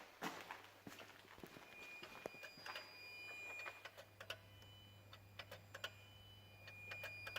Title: Peugeot 207 beeping and clicking noise